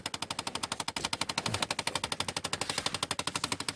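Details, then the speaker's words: 2008 Chevy Impala (common 2006–2013), key on: rapid even clicking from under dash above the gas pedal, about ten a second, from a stuck blend door actuator; fix is replacing the two-bolt actuator. "ng to show you in a second and that needs to be replaced somehow they get stuck and they stop working so they go click click click click click click and the only way to stop that is to change that actuator"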